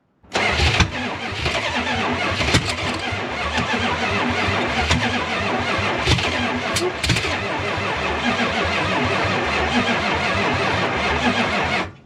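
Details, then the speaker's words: 1972 Chrysler Newport with swapped 440 big-block V8, sat since 2003, after cutting the spark plug wire ends and boots off: long cranking with scattered sharp pops as some cylinders fire, never runs on its own; firing more often. "It's definitely firing more often."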